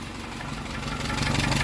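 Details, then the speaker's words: 1948 Peugeot 202, first run after revival with the choke on and no oil pressure showing: rough idle with sharp puffing ticks in time with firing, little coming out of the tailpipe; exhaust suspected escaping down near the manifold. "sounds like it's coming out right down here thought you huge exhaust R down there"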